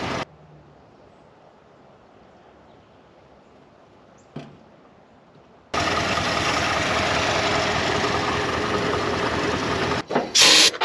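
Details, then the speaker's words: 1984 Ford F150 with carbureted 302 V8 and automatic, parked since about 2011, first run at idle, a belt missing; loud steady hiss over quiet idle, brake booster leaking vacuum at back side, to be replaced. "because we're going to have to do that booster it is just leaking vacuum like crazy at the backs side"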